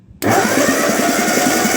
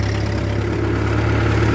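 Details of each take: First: 1948 Ford 8N tractor that cranks but won't fire, stuck intake valves being freed with spray: a fast, uneven chuff at about four a second with no firing; cylinders 1 and 2 are working again and number 3 is just starting to return. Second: 1948 Ford 8N tractor, about 75 years old, pulling a trailer of scrap metal uphill, from second gear into third, not at full speed, oil pressure reasonable: a steady low drone under load with no knocks or misses; the engine is healthy with lots of power.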